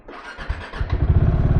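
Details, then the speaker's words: Bajaj Dominar 400 with a 1–2-year-old battery, after sitting unused for five days and after tightening loose battery terminal bolts; a short crank, then it catches at once and settles into an even, steady idle. Normal first-try start. "Yo bro there is no issue."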